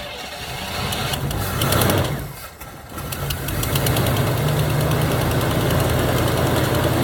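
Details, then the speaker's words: 1977 Chevy Camaro base, 305 V8, parked almost 20 years, after refilling the carburetor float bowl and reconnecting the ground: cranks, stumbles briefly as it catches, then settles into an even, steady idle; normal start and idle. "keys back on grounds did reconnected as soon as she starts dang a runner man"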